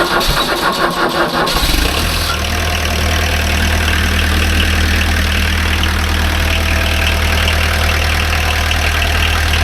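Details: Pony motor PD4501-316 (small diesel), hydronic water/propylene-glycol heating setup: knife switch set to test-run, timer powers the glow plugs, brief cranking, then it fires immediately and settles into a steady, even low idle with no knocks; a healthy start.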